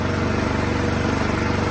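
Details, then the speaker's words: 2017 Troy-Bilt Storm Tracker 2690 XP snow blower after carburetor replacement (part 951-15236), choke off, low throttle: a quick, even putter with no hunting or surging. Normal running after the fix. "running nice and smooth the throttle is smooth low rpm running smooth"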